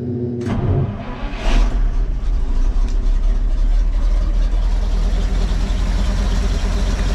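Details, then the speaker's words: Cheap old dump truck with new spark plugs, the fuel pump turned off because it is too strong, so the engine is running only on carburetor float-bowl fuel. Brief crank, then it catches and holds a loud, deep, steady run. "only going to run until that bowls empty because I don't have the pump running that pump's too much for this I think we've asked to put a fuel regulator or something or a return possibly"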